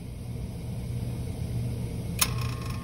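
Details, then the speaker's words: 30-year-old water-cooled walk-in cooler compressor that has been down for weeks gives a deep, steady hum, fails to reach running speed, draws 31 amps, and clicks off on overload about two seconds in. It is a hard-start failure before a hard start kit is fitted. "we're drawing 31 amps and then we're going off on overload"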